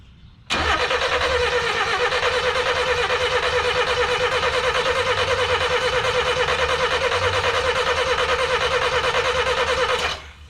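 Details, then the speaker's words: 1988 Ford Festiva after Weber carburetor swap, first start after 13 years: steady cranking about three beats a second for nine seconds, never catching, sounds like a lot of fuel; crank no start, owner suspects flooding, spark untested. "ooh that sounds like a ton of fuel okay well maybe she's flooded you think she would have at least gave a small sputter of life right"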